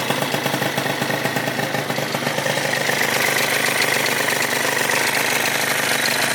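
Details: Rebuilt Yamaha Zuma 70cc two-stroke scooter on first start, warming up to about 180°: crisp, busy idle that keeps running and settles as it warms, no knocks or misses; healthy.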